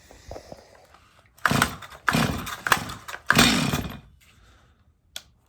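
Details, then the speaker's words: Stihl MS250 chainsaw on first start before repair, in for not restarting when warm, with fines under the hood and a dirty air filter; short full-throttle bursts scream clean and high with no four-stroke pop. Lean running at full throttle. "all right so the saw is running lean could you tell uh you should be able to hear a pop in the Co in the uh in the engine and whenever I took it to Full Throttle we didn't hear a four stroke so she's definitely lean"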